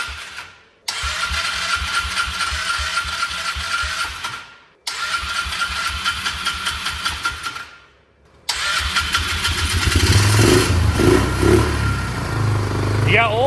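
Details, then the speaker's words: 2004 Polaris Trail Boss 325 four-stroke ATV parked 12 years, after turning the carb mixture screw about two turns out: two short cranking bursts, catches on the third, settles into steady single-cylinder thump; starts and idles normally. "Hey, it's sitting there idling. You must have done a good job. What's happening? It's finally running. Hey, it's running good."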